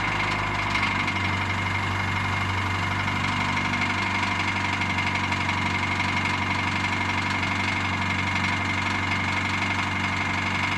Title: Piston slap 2°C